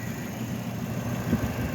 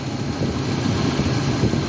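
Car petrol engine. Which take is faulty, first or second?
second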